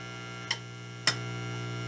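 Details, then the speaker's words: Homemade amp with volume turned up: steady low mains hum with two sharp clicks, hum tone changing with the tone control; grounding suspected, not confirmed. "I turn it up, and there's the interminable hum. And it actually, the tone works on it. You can hear the tone of that crap changing."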